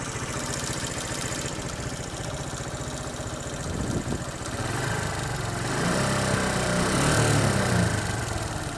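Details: SYM XS125 single-cylinder engine idling with a steady rapid tapping knock that rises as revs climb; owner is sure it is neither the valves nor the timing chain, so the knock's origin is unknown.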